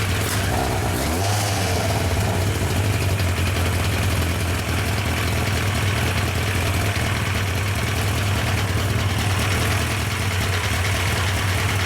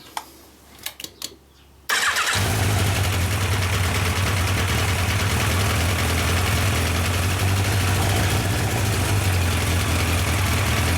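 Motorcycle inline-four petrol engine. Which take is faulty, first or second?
first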